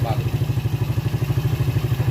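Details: Rebuilt Yamaha Vega ZR engine idling after full rebuild for recurring smoke, carburetor refitted, valve cover open to watch oil flow: even quick putt-putt, steady beat, no knock or rattle, smooth; healthy.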